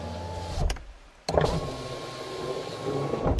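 Window motor gives a steady, even whir with smooth travel and no grinding or straining; normal power window.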